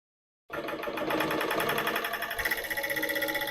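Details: Industrial sewing machine sewing while its built-in bobbin winder fills a second bobbin: quick, even mechanical ticking at about four strokes a second, holding steady with no knocks or grinding; running normally.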